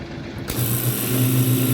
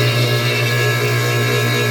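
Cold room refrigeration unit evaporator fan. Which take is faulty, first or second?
second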